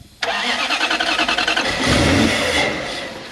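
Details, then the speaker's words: Toyota 1UZ V8 in a barn-find FJ40 Land Cruiser: catches after brief crank, runs lumpy and uneven, not on all cylinders, flares on throttle; very seized injectors suspected, not confirmed. "i think we've probably got very seized injectors"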